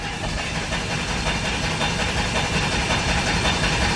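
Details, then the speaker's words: DeLorean petrol engine at idle, being worked on for vacuum leaks with a smoke machine; it now starts quicker and sounds nicer, but a loud steady hiss over the rumble points to a massive vacuum leak still present. "it starts up a lot quicker man it sounds a lot nicer but I'm still hearing a massive vacuum leak"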